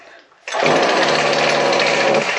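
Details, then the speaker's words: Stihl FS56C trimmer running rough with no power: ragged, unsteady buzz that won't clean up. The cause is a clogged exhaust spark arrester screen. "this is a uh still FS 56C weed eater and it is running uh rough. No power."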